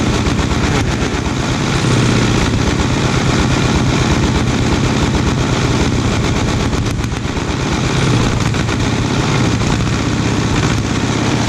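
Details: 1936 Caterpillar RD7 crawler, first start after rebuilding its seized, water-contaminated pony starting engine. It fired right up into a deep, steady low thumping diesel idle, even firing with no knocks or misses.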